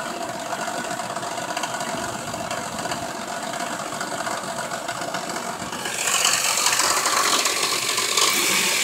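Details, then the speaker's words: 1999 Venture Montana van after fuel pump replacement, good fuel pressure: engine runs steadily with light even ticking, louder rush joining after six seconds; healthy idle, up and running. "There we have it. Up and running."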